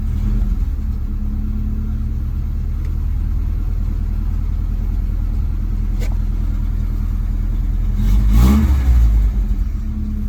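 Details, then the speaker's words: Truck cold start after running fuel pump: catches immediately, steady deep rumble, clean rev near end; fires right up, healthy. "fires right up."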